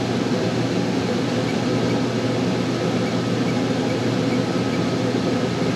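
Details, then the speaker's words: Dometic rooftop RV air conditioner after a SoftStartRV soft start is installed: fan and compressor come on with an even hum and no hard thump; gradual inrush to only 8.8 A versus over 20 A before. "wow huge difference so if you notice when we had the inrush last time it was an instant hit of 20 something amps 26 whatever it was and if you look now it just took a barely gradual in rush up to 8.8 amps to kick one"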